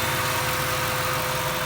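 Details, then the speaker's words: 1998 Jeep Wrangler TJ with swapped-in 5.3 LM7 V8 from a 2003 Tahoe, after a couple hours of on-off idling and fixes; steady, even idle with a smooth unbroken hum, no knocks, ticks or misses. Normal idle. "so I've had it idling here on and off for about a couple hours today just checking stuff out"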